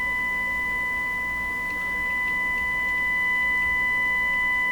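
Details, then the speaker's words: Stewart Warner R514 tube radio with a 455 kHz signal injected: the steady tone is buzzy and warbly instead of pure, a bad distortion that sounds like a hum problem; the antenna transformer is suspected, not confirmed. "Bad distortion. Sounds like a hum problem. Bad distortion. The warbly sound. Instead of sounding like a nice pure tone."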